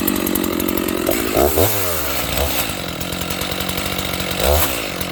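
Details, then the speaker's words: Stock Dolmar 7300 chainsaw with the high-speed jet opened fully to the limiters: revs hard with a thin, screaming note at full throttle, dipping under cuts; sounds lean-running, saw got quite warm, with limiter removal planned. "I literally just opened the high jet as far as it'll go with the limiters. That sounds a little lean to me."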